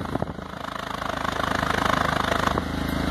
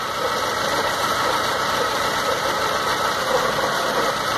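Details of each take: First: 2006 Stratus 2.0 that had a misfire, heard at the tailpipe after a temporary fix: steady, even exhaust puffs, about four a second, with no skips or gaps, no longer uneven as before; even exhaust pulses. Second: 2006 Stratus 2.0 with misfire, lack of power and shaking, new spark plugs and lab-cleaned injectors: disconnecting the cylinder 3 lead gives audible spark snaps but no change in the rough, uneven engine, so cylinder 3 is suspected; possibly an engine problem.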